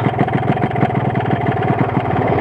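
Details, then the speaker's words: RX-King two-stroke motorcycle with Altech exhaust at idle, fast uneven rattling clattery knock; combined sound of loose reed membrane, slightly loose piston and wobbly connecting rod. "Oke ini adalah gejala suara setang seeker jelas Suara membran kemrucuk setang seernya jelas seer itu sendiri bunyi"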